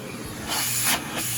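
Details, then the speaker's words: Aerus Lux Guardian Platinum vacuum at its high setting: a loud, steady rushing airflow hiss over a faint low hum, smooth and even; normal, very powerful. "then that would be the Silverados power and then here we go we got a tremendous amount of power it is insane how powerful this thing is"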